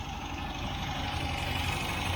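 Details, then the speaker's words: 1967 MGB Mk1 at idle with refurbished carbs, air cleaners and carbs visibly shaking: low, lumpy, uneven throb under a steady hum; brake-cleaner test found intake manifold gasket leak, gasket later found badly compromised on cylinders 3 and 4. "You can see those air cleaners and carbon shaking a bit. I want to try and achieve a nice smooth idle, which I do not have at the moment."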